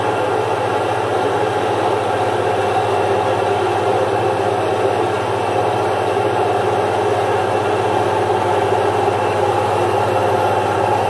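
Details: Single-phase 1 HP domestic stone-type atta chakki (flour mill) grinding jowar: steady unbroken motor hum with even grinding rush, no knocking or labouring under grain load; normal grinding.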